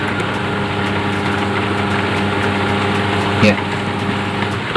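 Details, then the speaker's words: Humming, non-spinning electric fan motor after fixing corroded capacitor wiring connection; steady even hum at top speed, no scraping or rattling — fan now spins smoothly. "Sudah berputar lancar rekan-rekan"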